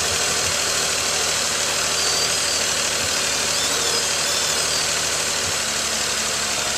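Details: 2018 Nissan Pathfinder SL, about 27,000 miles, idling after a kerosene flush, oil and filter change and Seafoam added: even, steady hum with no knocks, misses or surges under a loud hiss; idling smoothly and healthy.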